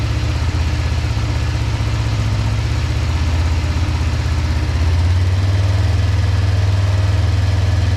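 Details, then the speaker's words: 2005 Kawasaki Ninja 500R twin, sat 10 years, after new carbs, tune, synchronization and oil change: steady even low burble about four pulses a second at idle, no knocks or misses; healthy. "Sounds really good, man, with those new carbs and that tune and synchronization. It sounds really healthy. Super healthy."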